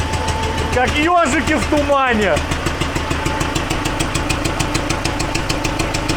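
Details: T-40AM tractor diesel, started cold at about -14°C after sitting a month: idle with a steady knock about three times a second over the chug, still present after the valves were set. Source of the engine knock not yet found.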